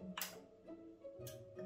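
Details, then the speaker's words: Yamaha RX-V440 RDS home-theater amp (circa 2004) that won't stay on; relay clicks in at power-up, display lights, then sharp click as it drops straight out into protection, power-supply fault. "Mais l'ampli se coupe direct en fait, il se met en sécurité, donc il n'arrive pas à rester allumé."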